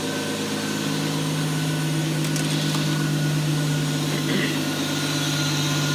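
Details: Toyota BJ40 Land Cruiser with twin-turbo 1GZ-FE V12, first fire after setting timing, on a Haltech Elite 2500 base map; smooth, busy idle with a steady low hum and no misses or knocks; normal idle.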